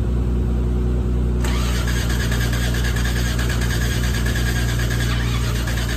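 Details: Toyota Crown: steady chugging about four beats a second over a low hum, never catches; crank no start, owners suspect timing, carb or compression, battery weak, not confirmed.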